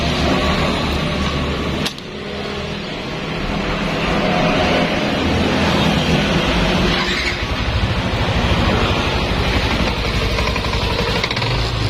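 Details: Yamaha Nmax scooter after repair of a wiring fault that caused crank-no-start (fuse, plug, coil, ECU were normal): engine catches and settles into a steady, even idle with traffic behind; runs normally now.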